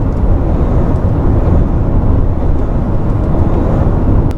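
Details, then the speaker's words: Kia Sorento MQ4 2.2 diesel with wet 8-speed DCT, in-cabin at steady normal cruise: low rumble and drone of engine and transmission drive noise, no knocks or whine, through light soundproofing. "그냥 이렇게 다니면 엔진에서 계속 그 엔진 사운드하고 변속기 도는 소리 같아요. 변속기 도는 그 구동 소리가 이 소리."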